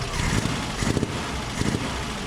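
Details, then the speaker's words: 1964 VW Type 34 Ghia, first start after sitting since 1983 with rebuilt carbs: rough idle with a chuffing puff about every half second on one side, compression blowing past a loose spark plug. "i think that plug's loose let me go shut it off"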